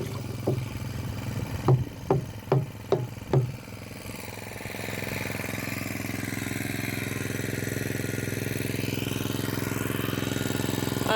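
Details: Pull-start water pump motor after a loose part was tightened about four turns: a few sharp cord pulls catch, then the engine settles into an even, steady run with no scraping; normal running.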